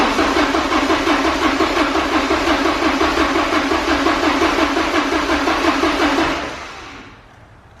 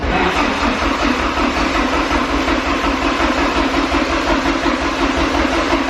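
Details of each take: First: Porsche 944 sitting 10 years, only fresh gas added: steady cranking about three turns per second for six seconds, never catching; crank no start, fuel delivery suspected. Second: Porsche 944 sitting 10 years, freshly fueled, cranked on the starter for about a minute with DME relay pulled so it won't fire, building oil pressure; steady even chug without firing; it fired right up once the relay and fuse were reinstalled.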